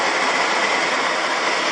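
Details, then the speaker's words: Main squirrel-cage blower on a propane furnace, run with the thermostat fan switched from auto to on: steady, even airflow with no rattles or scrapes, blower working while the suspected thermostat fault is diagnosed. "Squirrel cage, that baby's spinning like a big dog, so I know everything's working on the furnace AL."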